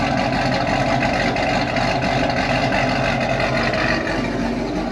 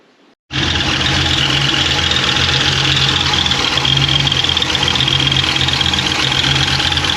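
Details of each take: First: Z28 Camaro with stock LS7 V8 plus injectors, E85 and long-tube headers, before cam and cylinder head swap. Steady even rumble at constant high idle, no knocks, ticks or whine; healthy engine. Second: V8 at idle with rockers checked smooth and oil pressure good: fast light ticking about four a second from the top end; owner suspects a lifter closing.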